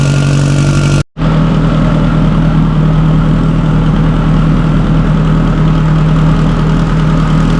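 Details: Subaru STI (1100+ whp build) fitted with a stock OEM EJ257 longblock, fully warmed up in neutral after a hard cold start; deep, steady idle rumble with even beat, no ticking or knocking; normal warm idle.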